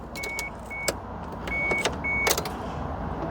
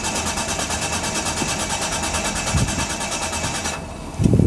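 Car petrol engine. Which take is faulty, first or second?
second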